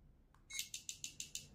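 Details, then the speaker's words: Swiwin model jet turbine ECU component test of the fuel valve: six crisp, even clicks about seven a second with nothing behind them; the fuel valve opens and closes normally. "we can hear the sound from the turb"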